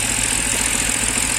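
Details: BMW with engine vibration and misfire complaint, shaking badly after starting and reluctant to keep running: idle pulses come unevenly, about ten a second, with a shaky, lumpy beat over a buzzy background. Rough running; cause unclear.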